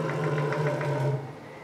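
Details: STEPPERONLINE Nema 23 integrated servo (90W/180W) on a CNC mill, being broken in: steady low strange hum with faint rapid pulsing, then quieter; owner unsure whether that unit is at fault.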